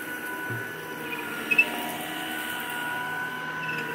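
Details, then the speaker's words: 1973 Electrolux 1205 tank vacuum, first run after sitting unused a while: quiet, steady motor hum with an even light whine, no rattles or surging; runs well, barely audible, normal running. "runs pretty good, though. Can't even hardly hear it running."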